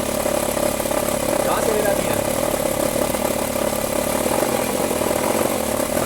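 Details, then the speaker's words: Nissan Sentra engine, noise when shifted into D and revved, typically when cold: steady running with fine continuous rattle from belt tensioner; forcing or shimming the tensioner stops it. Belt tensioner rattle. "O barulho vem daqui, ó. Ó. Tensor da correia, ó."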